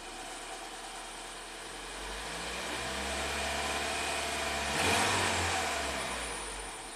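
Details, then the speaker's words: Ford EcoBoost van with intermittent P0106 code, after stumbling on start, rpm slowly raised, fuel trims zero: engine rises smoothly from idle to moderate revs and settles back, even and clean; runs fine. "now it's now it's it's fine it's happy man that really blows my mind what could be wrong with this Ford product"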